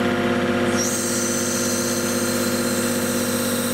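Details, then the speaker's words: John Deere tractor hydraulic flow test at 2,000 rpm, oil at about 80–100 degrees: as the restriction loads it to about 1,500 psi with flow just under 6 gpm, a high whine rises and holds over the engine. "you actually may be able to hear it a little bit so we're about 1500 pounds right now and holding just under six gallons a minute"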